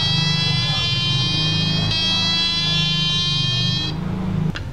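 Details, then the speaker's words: Melody wall clock with a broken movement, hands turned by hand so the clock triggers the melody box: buzzy electronic tune at a steady level for about four seconds, then cuts off cleanly. Melody box works normally. "Jadi ini ketika saya hubungkan seperti ini, ketika jam berputar dan terus berputar, ini saya putar karena memang mesinnya rusak nanti akan berbunyi. Waktunya berbunyi, dia berbunyi, waktunya berhenti."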